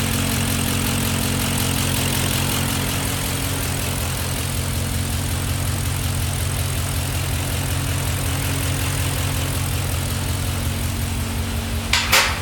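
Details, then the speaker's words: Cylinder 3 misfire at idle after a full bottle each of Seafoam and Rislone: lumpy idle with a stumble about twice a second plus faint tick from one bank; owner suspects bent valve, plans to pull the head. "After a full bottle of Seafoam and a full bottle of Rizlone, starting it up, shutting it down, revving it a bunch, still hear the ticking. And of course it's still misfiring."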